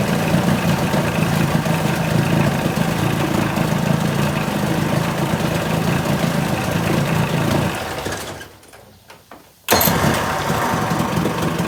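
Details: 1980 Chrysler 45 hp two-stroke outboard idling steadily and evenly after cranking with no start at the lake; coil packs previously replaced, no fault found, engine responsive; owner likely skipped the fast-idle warm-up lever. Normal idle.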